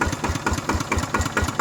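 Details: Used RT90 Plus single-cylinder diesel on KS72 tractor frame, recently washed: steady, even thumping about four and a half beats per second with no knocks or misses; healthy low idle.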